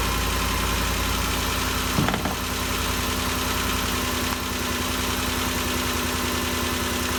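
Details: 2013 Ford Expedition after valvetrain repair for loud ticking (suspected cam phaser or timing chain): even, settled idle with no tapping or ticking over the engine hum; noise gone, valvetrain quiet and healthy.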